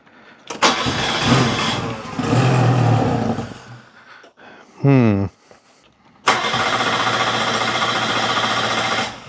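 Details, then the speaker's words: Car cranking in repeated bursts but never running on its own fuel; fuel pump cannot be heard, owner fears it is dead. "Yeah, it runs on something. What it doesn't run on is uh its own fuel."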